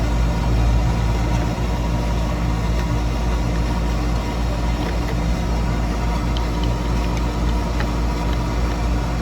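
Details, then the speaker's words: Toro Recycler 22-inch mower, Briggs & Stratton engine, pulsating and running rough: uneven, surging, stumbling idle; heavily clogged air filter found, suspected cause. "oops yep someone hasn't changed their air filter in a while and this could be causing the problem"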